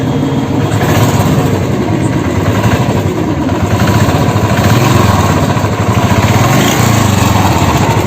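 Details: Royal Enfield Classic 350 at idle: dense rapid ticking over a loud, steady single-cylinder thump suggests a knock low in the engine, possibly the crank; engine knocking noise.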